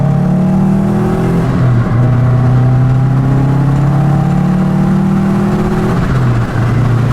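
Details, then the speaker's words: 2002 Subaru WRX wagon turbo, almost 400,000 miles, driving in second gear under boost: strong even pull, pitch climbing smoothly with revs, no misses or rattles; healthy turbo acceleration, a backfire follows. "Hell yeah, boys, we got a ripper. Now sound like every other Subaru kid."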